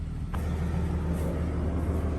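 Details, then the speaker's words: Old Jaguar XJ6 Vandenplas, revived after sitting, idling after the CPU/EP contacts were cleaned: low, smooth purr with the electric cooling fan rushing on top, no misses or knocks. "It's just purring like a kitten. I think the electric fan is working too. You hear the electric fan is on."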